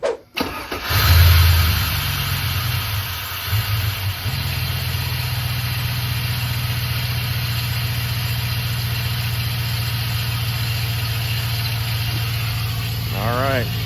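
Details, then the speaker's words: 2002 GMC Sierra Z71 engine bay at start-up and idle: loud constant whirring/squeaking drone over the engine; pulleys spun by hand (water pump recently replaced, fine), owner suspects AC compressor belt tensioner pulley; tensioner pulley noise. "still making an extremely loud noise. I think it's got to be that tensioner pulley down there for the AC compressor."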